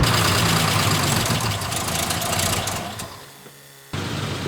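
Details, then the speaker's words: 1941 Lincoln Continental V12 convertible, first start after arriving: even, smooth idle with no knocking or misfire, a little smoky; runs well after long storage. "the old Lincoln sounds pretty good A little smoky but you know what that's nothing"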